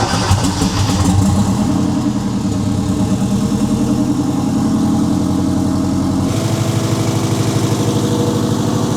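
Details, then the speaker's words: Turbo Mazda Miata, built 1.6L with new head gasket, clutch and flywheel, new unequal-length turbo manifold, first start before exhaust built: catches after brief crank, settles into even burbly Subaru-like idle; oil pressure and air-fuel good, runs healthy. "So there we go. Oh, it definitely has a Subi rumble. Got oil pressure. We got good air fuels. It runs."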